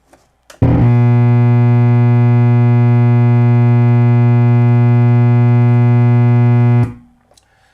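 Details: JBL PSW-D110 subwoofer powered on with nothing connected, drawing about 1.5 A, around 65 W: loud, deep, steady hum until switch-off, caused by a defective main filter capacitor; all main electrolytics replaced.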